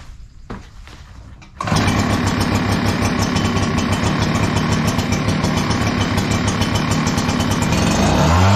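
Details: Echo PB 9010T backpack blower at 500+ hours, which ran poorly when cold, after richening the carburetor a quarter turn: starts without choke in a few pulls and holds a steady, even high-speed roar; normal cold start and run.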